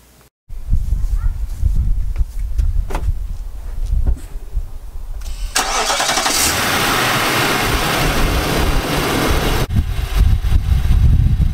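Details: 2018 Nissan Armada, original engine before short-block replacement: cranks and catches, then a hard diesel-like rattling knock through idle that keeps pace with engine speed; bottom-end knock, fixed with new short block.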